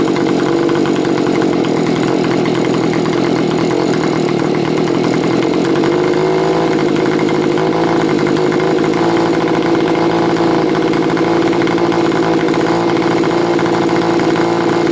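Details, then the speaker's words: Stihl BG55 two-stroke leaf blower after carb mixture adjustment, about three turns out on low and two on high: steady buzzing idle without hunting or dying; runs normally. "after I have it seems to be running like a top tried a few more times and just make sure everything's okay"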